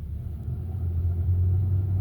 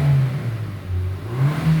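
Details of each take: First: Hyundai Sonata DN8 (The Edge) at low speed after a clunk at 100 km/h: power limited, no acceleration, low uneven growling "bu-geu-reung" instead of a normal hum; engine warning light on and off, later oil warning; codes show low oil pressure and oil pressure sensor range/performance fault. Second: Hyundai Sonata DN8 (The Edge) brought in for feeling like it won't accelerate, with no warning lights and no fault codes: smooth, even engine note rising and falling under light acceleration, road rumble underneath, no knocks or clatter. Acceleration sounds normal.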